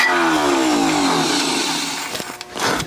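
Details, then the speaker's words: Junkyard Willys Jeep engine catching after priming, running raggedly for about two seconds then dying; rough start, owner suspects timing is way off and possibly flooding. "oh that sound is really [Music] awful"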